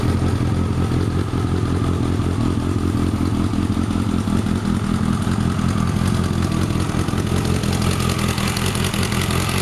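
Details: Kawasaki ZZ-R1100 D7 engine running steadily and loudly, with an uneven clattering beat of roughly two or three a second over the exhaust note; an abnormal engine noise, cause not clear.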